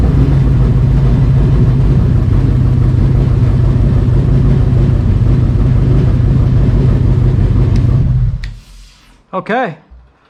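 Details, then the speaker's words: Cobra Daytona replica ("Aluminator") V8 just after first-ever startup after build: heavy, loud rumble holding a steady idle about eight seconds before cutting off; running evenly, oil pressure good, no tach reading, very loud. "it's alive i got no tack oil pressure looks good it is loud"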